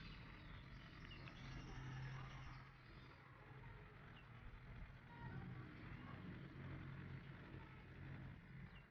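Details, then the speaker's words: Car engine just after a piston and piston ring install, radiator refilled, throttle test: a rumble that swells and eases smoothly with no knock or rattle. It now sounds normal, unlike before the repair, and the oil level rises. "Kan suaranya sudah berubah ya teman-teman, tidak seperti sebelumnya. Suaranya sudah normal lagi."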